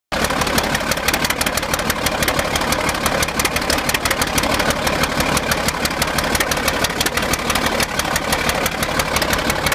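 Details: Caterpillar D8 diesel idling: busy uneven clatter with wavering beat about three per second, running rough at idle; rough idle.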